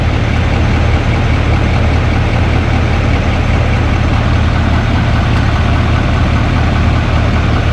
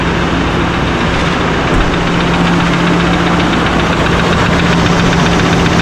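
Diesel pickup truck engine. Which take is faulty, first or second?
second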